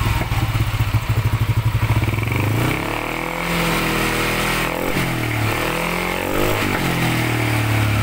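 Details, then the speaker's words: Yamaha NMAX 155 with a remapped ECU, first fire after repairing a noisy-engine complaint. Even thumping idle, then throttle blips that rise and fall smoothly, no ticking or rattle. The idle sounds right. "ayan ayan naman Medyo Tama na yung idol basin siguro natin i-adjust ba yan napakaganda iga agad ang unit ay naka remap tama lang yung idol natin"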